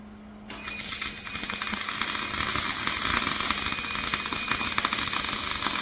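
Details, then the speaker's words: MIG welding a flatbed for a 2006 short box Ford F-250: harsh, uneven spitting crackle with irregular popping; wire feed speed too slow, later turned up. "I think we need a little bit more speed. We're still looking good there though."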